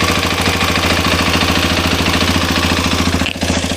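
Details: Hero Xpulse 210 at 2,841 km, noise began around 2,600 km, idling: busy tractor-like metallic clatter from the cylinder head over a steady single-cylinder idle; tappet noise from the cylinder head, to be fixed by the service center.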